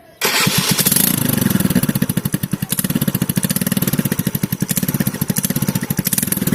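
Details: TVS scooter (Wego/Jupiter type) with stock silencer: loud, hard-edged pulsing exhaust bark right from startup, far too loud. A leaking, damaged bend pipe was fixed by welding and replacing the bend pipe.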